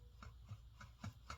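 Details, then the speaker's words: Predator 224 engine bottom end being clearanced for a billet rod: slow hand-turned crank spun backwards gives a light scrape once per turn as the connecting rod oil dipper barely rubs the front of the block; material to be removed. "I'll spin it backwards here, and I'm actually barely rubbing with the oil dipper."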